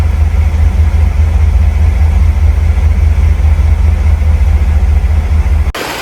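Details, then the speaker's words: 2015 Cadillac Escalade GM 6.2 V8, 5,600 miles after replacing lifters (a non-DOD lifter failed at 180k miles), cam with one worn lobe kept, AFM not disabled: smooth, even low idle with no valvetrain ticking or knocking. Running well. "This is what she sounds like. Um, after a couple months of driving, doing well. Knock on wood."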